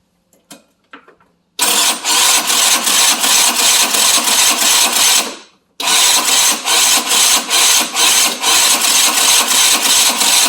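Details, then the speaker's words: 50cc Chinese scooter after a performance clutch upgrade: the starter grinds over in slow, labouring pulses, under three a second, sagging and never catching; the owner suspects the battery or starter is going and uses a jumper. "sounds like my start is starting to go yeah let's put the jumper on here sounds like the battery's starting to go so it looks like our start is going"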